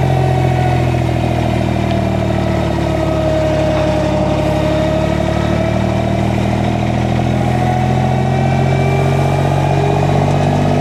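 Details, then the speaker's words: Derette XC1100 mini skid steer engine driving a heavy Rut Manufacturing Termite disc mulcher. Loud drone sags slightly as the disc takes up, then holds even; normal start-up loading, no distress. "Now, it's so heavy, that disc spinning, it's so heavy, it bogs down a little bit when it fires up, but then it gets to spinning."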